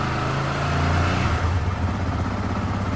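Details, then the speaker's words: Yamaha R15 v2 single-cylinder motorcycle, odometer 7,600, first start after sitting unused for a couple of years: runs steady and even on slightly raised throttle with no misses or knocks, with a fuel-burning smell noted; healthy normal running. "and yeah it works perfectly fine even couple of years it has never been started it works fine"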